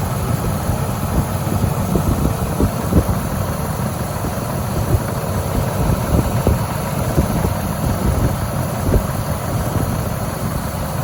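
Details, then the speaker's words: 1998 Ford F-150 idling with A/C on, after one can of refrigerant added during recharge: compressor stays engaged much longer before cutting out, showing the system is nearly fully charged. "I can already hear the compressor is running for quite a while at this point before it kicks back out. So we've almost got enough in here."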